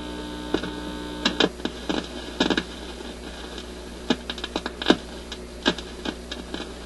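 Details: Admiral suitcase record player with a new replacement stereo cartridge: steady low mains hum and sharp clicks as the leads are connected, but no music; the new cartridge is dead.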